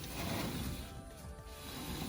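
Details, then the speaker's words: Squeaky dryer's drum turned by hand after the points were lubricated with bike chain lube: only a low rumble and soft rubbing, with no squeak. "you don't hear that squeaking sound. So we should be good to go."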